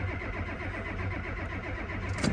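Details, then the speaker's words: Ford F250 7.3 IDI diesel on a cold start: the starter churns steadily but the engine never fires; the glow plugs have not been replaced since 2001, and the owner suspects the glow plugs, relay and harness and plans to replace all eight plugs. "right so looks like this ford is down uh idis won't start with out eight gold plugs trust me and and go plugs are old"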